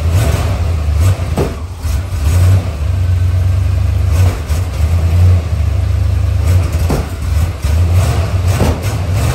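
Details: 1977 Chrysler Newport, 400 V8, cold start below freezing after about two months sitting: an uneven, loping idle with dips and stumbles every second or two. Rough idle; the owner suspects plugs and wires, possibly the spark control computer; not confirmed.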